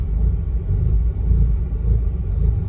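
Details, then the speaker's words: Mazda RX-8 rotary that stalled unless throttle pressed, during idle relearn after reset and clearing codes from a disconnected mass airflow sensor, about 10 minutes in: deep, slightly wavering low rumble holding idle without dying; idling on its own. "but hey it's idling that is already a good sign we're further along than we were before it's actually idling"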